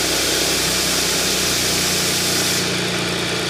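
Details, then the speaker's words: Audi S after timing chain guide replacement; cold morning start, idle settling down, even steady hum with no ticking or rattling; the previous chain noise is gone after fitting the new guide and cleaning debris from the oil strainer. "现在怠速已经慢慢下来了。那原来那个声音呢，已经没了。"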